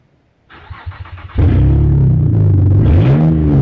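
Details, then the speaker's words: 2007 Saturn Vue, Honda 3.5 V6, AWD, about 359,000 miles, exhaust system removed; starter whirrs about a second, then the engine catches into a loud, deep, raspy unmuffled roar. Open exhaust. "Exhaust pretty neat so what does it sound like with Open Exhaust find out"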